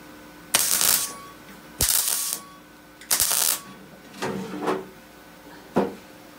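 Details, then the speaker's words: MIG welding the rear wing panel of a badly rusted UK MGB GT: harsh crackling bursts about half a second long keep breaking off and restarting. The spitting comes from factory lead loading melting inside the panel, first suspected to be paint. "horrible Spacey sound you can hear it is probably a little bit of paint inside the panel just like I couldn't even me a little bit of thin something mucky there"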